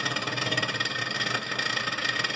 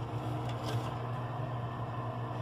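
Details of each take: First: Continental RFCT455 frost-free duplex fridge; constant scraping rasp as the evaporator fan blade hits built-up ice, because the control board wasn't defrosting; fixed by resoldering cold joints and cleaning the relay contacts. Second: Continental RFCT455 frost-free duplex refrigerator, after freeing the ice-scraped evaporator fan: steady low hum and even whir, no scraping; fan spins freely. Ice buildup traced to control board not defrosting, fixed by resoldering and cleaning relay contacts.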